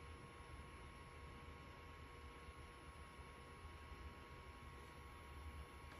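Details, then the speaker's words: Hikvision recorder after replacing noisy original Chinese-made fan with Austrian-designed replacement: soft steady whir with even low hum, no rattle or buzz; somewhat quieter than original, normal fan running. "this when i listen to it now it is somewhat quieter um it is somewhat quieter yes definitely it's quieter"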